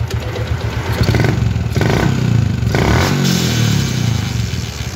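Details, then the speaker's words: Yamaha Jupiter MX motorcycle, short rev bursts: rough, snagging rattle under the exhaust as revs rise; a transmission gear catches, and the teardown found the roughness in the transmission. "Ya ini yang ternyata penyebabnya ee mesinnya itu kasar di bagian ee transmisi dan selahnya"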